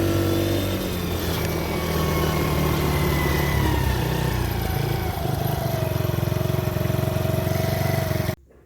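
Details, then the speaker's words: Mini ATV with Mikuni carburettor after idle adjustment backed out: small engine revs smoothly to a steady even high buzz at full throttle, then cuts; now starts on idle and runs cleanly. "starts on idle I probably still need to adjust it a little bit and it has a full range on the throttle so I'm about a maybe a quarter of the way open now"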